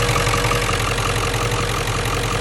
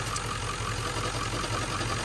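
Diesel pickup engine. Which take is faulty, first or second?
second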